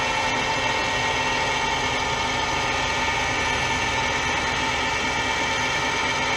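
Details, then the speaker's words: Gear cutting on a lathe, using a tap to cut teeth into a small brass or bronze piece, with a screw driving the worm wheel. Even, steady whirring with a constant ringing tone and no chatter or stalls; normal hobbing. "ce que je vais essayer de faire c'est que je vais essayer de me mettre en volet on va voir ce que ça donne"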